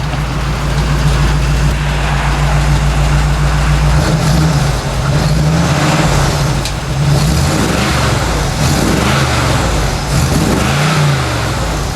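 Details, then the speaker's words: 1964 Chevy C10 with tired small-block 350, rams horn manifolds and new true dual exhaust with Thrush mufflers: deep, even V8 burble swelling cleanly with each rev, mellow not raspy, not too loud; healthy exhaust note. "i think they'll be real happy with that it sounds really nice it's not too loud it should be nice when they're calling their trailer"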